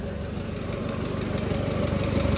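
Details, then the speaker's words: Oliver Super 66 with 155 cu in Waukesha gasoline four-cylinder, cold, after valve adjustment: light regular ticking in time with a slow idle; one valve with too much clearance still tapping and probably needs readjusting, rest within spec. "I'm sure in the video you heard a little tapping yeah I'd be loud that one probably needs readjusted everything else is within specto"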